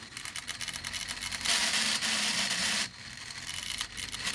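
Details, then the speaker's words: Smaller 3D-printed redesign3dp Newman pulse motor prototype at about 7 volts, no bearings; dry hissy scraping with uneven ticking that swells and fades, the floating rotor rubbing as it spins. "it's making that noise because the rotor is floating in there and let me turn it off"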